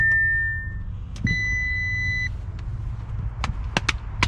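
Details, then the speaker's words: Damaged 2019 Audi RS3, rear battery terminal replaced; long warning beep near two kilohertz, then clicks, no cranking. ECU likely needs programming, not confirmed. No-start with warning beep, ECU not programmed. "ha I want you here to run it's so disappointing that they took the ECU like oh come on make me pay extra five $600 or how much to get a program but yeah it's not letting me fire it up guys"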